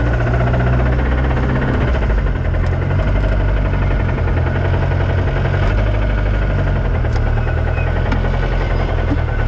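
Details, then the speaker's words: Lotus Exige race car engine after a track day: loud steady idle with deep repeating knock under exhaust rumble; spun rod bearings, rod knock. "i blew it up that's the motor knocking you don't hear that i do yeah that was a hell of a way to go out though yeah that's supposed to be it's a cat scan yeah it has rod knocks"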